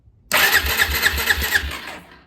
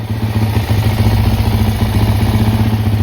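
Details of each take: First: Possibly a 2004 Suzuki LT-Z400 ATV that sat five years: the starter spins the engine with even compression puffs about four per second, but it never fires. It cranks without starting; spark is checked next and appears present. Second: Suzuki LTZ 400 ATV (believed 2004): it had run weird on throttle and thrown oil, suspected from an unplugged vent. After plugging the vent, it idles and then takes sharp throttle blips that rise and fall cleanly. Normal running; the carb still leaks and the float needs adjusting.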